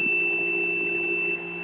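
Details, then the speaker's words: Homemade generator prototype putting out a steady 17 V DC to an inverter: thin, steady high-pitched squeal over a low hum, easing slightly; inverter squeaking, suspected too little current output, not confirmed. "I'm going to switch the the inverter on. Now I don't expect it to run it because the milliamps, the output on it isn't brilliant for whatever reason. As you can hear, it's squeaking"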